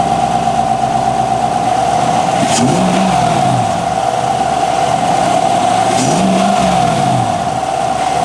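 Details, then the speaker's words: 2019-2026 Chevy Silverado just after installing a North American Performance cold air intake: steady idle with strong intake hum, two quick revs with rising intake roar; engine pulls cleanly, normal idle and revving. "So we'll clean up and then we'll set up the camera so you can hear it actually pulling air in, and we'll see how it works."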